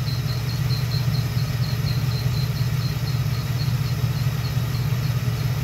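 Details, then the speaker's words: LT1 V8 with a brand-new mechanical fan and clutch: high chirping squeak about twice a second over the idle, stopping once the clutch engages and continuing as the fan spins down after shutoff; faulty fan clutch, not the water pump. "the squeaking will go away and when i shut the car off the fan continues to spin a little bit and the squeaking continues on afterwards and then eventually"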